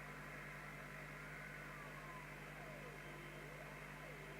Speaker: Right, so with the marker oscillator, I don't know whether you can just hear that musical note, and I'm going to null it by altering the crystal trimmer for the receive mixer crystal, which is the lower one of the two on the left here.